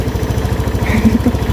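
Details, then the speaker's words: Honda Beat scooter after carbon cleaner treatment, first electric start: even settled single-cylinder idle, steady beat, no surging; IACV opened then closed, RPM high then back to normal. "Oke, IACV bekerja tadi, terbuka terus sudah nutup, RPM sudah kembali normal. Tadi RPM tinggi, udah ya, aman loh."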